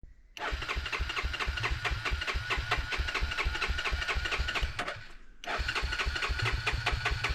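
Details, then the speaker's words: 1987 Honda FourTrax ATV sitting 3-4 months over winter, already needing carburetor work, cranks without starting; steady starter chugging about two beats a second, pauses, cranks again never catching; owner suspects the carburetor. "so as you can see went to use my four tracks and it doesn't want to start which is not real surprising cuz it's probably been sitting here for 3 or 4 months"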